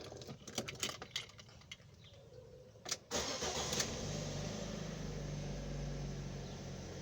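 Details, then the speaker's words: Fiat Strada 1.4 Fire, cold start after sitting overnight; the fault is slow restarting after standing a while once warm. A few clicks and a short crank, catches within half a turn, steady even idle. Normal cold start. "Ahora les voy a mostrar cómo ella prende de un día para el otro sin ningún problema. Arranca como deve de media vuelta y queda encendida."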